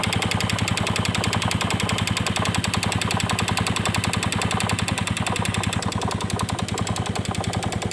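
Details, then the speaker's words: Yamaha Vega Force fuel-injected motorcycle with new cam chain and new piston, still idling with a fast, steady top-end tick about three or four per second that sounds like a cam chain; cause not yet found. "kita kedatangan motor Vega Force yang injeksi kalau hanya teman-teman nah selalu bunyi kayak rantai klep Seperti apa suaranya"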